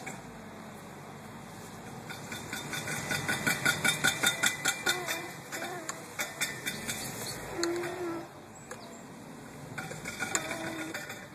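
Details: 2000 Volvo XC70 idling petrol engine with a run of sharp metallic clicking and pinging, roughly two to three a second, that comes and goes, with vibration; cause unknown.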